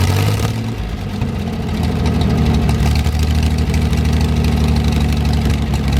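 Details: 1973 GMC 432 cu in V6, first run after about 5 years sitting: deep, steady idle with even firing and no misses or knocks; no smoke once warmed up; normal idle.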